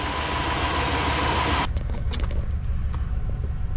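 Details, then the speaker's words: 1997 GMC Suburban V8 after in-frame rod bearing replacement with standard-size bearings: after a loud start, a smooth low idle with no knock, 60 psi oil pressure cold at idle, about 20 when warmed up. "60 lb of oil pressure at idle. It's still cool. It sits at about 20 whenever it's all warmed up."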